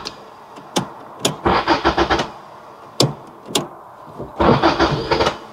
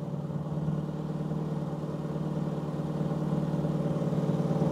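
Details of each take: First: 1990 Toyota Corolla 4WD estate, parked 16 years, first start attempt on fresh battery: two short cranking bursts after key clicks with a few uneven catches that don't take; barely fires. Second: 1990 Toyota Corolla 4WD estate parked 16 years fires straight up and idles like a gem: even, steady petrol idle with smooth low hum, no misses, knocks or hunting; running sweetly.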